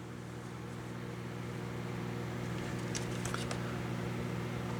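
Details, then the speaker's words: Steady hum then sharp snapping crackles as a 25-inch U5000 arcade monitor chassis is powered up on a light-bulb test; arcing at a spot on the board leaving a mark, which worked after cleaning. "something well this is definitely living up to its name uh Sparky this is Sparky this is this is Daytona Daytona is sparking too"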